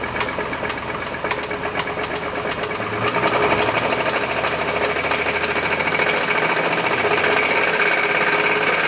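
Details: Chevy S10 engine running: sharp metallic knocking, about three or four per second, growing louder as revs rise; isolated to the engine, owner suspects rod knock, unconfirmed.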